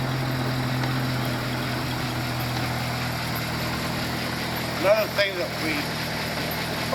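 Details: 1937 Buick with a carburetor, after October-to-May storage with fuel additive, converted to a 12V battery with a 6V starter: low, steady idle hum with no stumbling or misses; idling smoothly.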